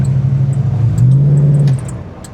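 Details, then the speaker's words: Classic Mopar Plymouth Barracuda convertible from a Copart auction, V8 with a single-barrel carburetor, on the road with the transmission shifting. A deep drone pulls up evenly with a clean, steady note, then eases off. No misses or knocks: decent, healthy acceleration. "I She likes to go. It seems decent. Not bad for a little single barrel carburetor either. It's not like super powerful or anything, but she's decent enough."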